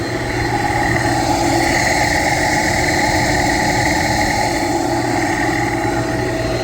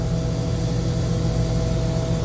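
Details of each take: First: Pump after fixing low discharge superheat alarm (sensors recalibrated): loud, steady whirring roar with rough edge and faint high whine; bearings or fan suspected, checked with vibration analyzer, cause undetermined. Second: Chiller after fixing low discharge superheat alarm by calibrating off sensors: steady low hum with an even drone and faint tone near 600 Hz, running normally.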